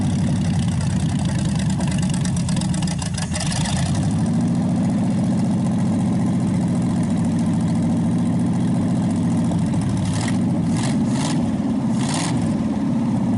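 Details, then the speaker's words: Packard 374 cu in V8 on a warm-up restart burning oil off after carburetor cleaning: revs drop into steady, even rumbling idle, no skipping or tapping, improving each start and nearly quit smoking; owner thinks it's a good engine. Normal idle. "So okay, folks, every time we started it, it got better and better, and just about completely quit smoking. It's not skipping, no noise."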